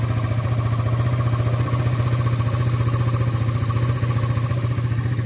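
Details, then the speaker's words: Motorcycle (LCV8) after an eight-day endurance ride, started after sitting unused, with blackened exhaust and smoke; rough idle with a fast clatter of three to four beats a second over a heavy rumble: abnormal engine noise at idle. "Okay. Tak tahu lah nak dengar tak dengar. Saya dengar bunyi memang sakit kepala."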